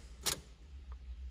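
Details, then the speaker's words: Fiat (Fire engine) no-start: key turned but only two faint clicks about a second apart, no cranking at all. "Ah tá certo ele não dá a partir daí não dá só lhe não funciona"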